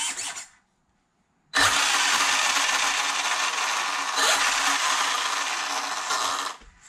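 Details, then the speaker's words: Arrma Limitless RC car after remounting and rebinding a new Spektrum receiver: bright, even electric whir spins up, holds several seconds and winds down; motor still working properly. "there we go so it's still working properly"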